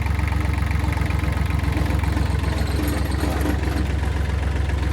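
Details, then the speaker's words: Kubota L3000DT tractor diesel, replacement used engine, fuel line bypassing lift pump straight from full tank: deep even chug about two and a half beats per second, no knocks; healthy idle. "Sounds healthy. pumping. My bolts are falling. That runs good."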